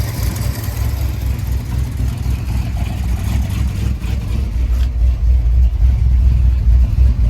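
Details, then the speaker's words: Ford F100 truck (1965/66 body on a 1974 highboy chassis, supposedly a crate 390, automatic), warming up after a carb swap with good oil pressure: a low, uneven drone that surges; it started running rough, and a carb rebuild is planned. "I shut her off. She was starting to run pretty rough."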